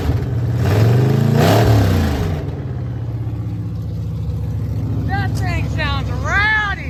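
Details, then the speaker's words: Mildly built 351 Windsor V8 (probably small cam, roller rockers, gear-drive timing) in 1980 Ford F-150, after slight timing adjustment: lumpy engine revs strongly then settles to steady rumbling idle, crisp response; good oil pressure, healthy. "all I did was pinch the timing just a little bit and it woke it right up boy she is ready to rumble now"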